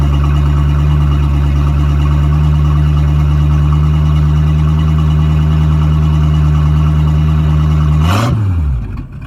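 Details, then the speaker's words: Boat sterndrive engine at startup, its first start in three weeks: a steady, even low hum with no knocks or grinding for eight seconds, then a clean wind-down at shutdown. "all right guys you just saw the uh video of it running so that's always a positive it's the first time it's been started in three weeks"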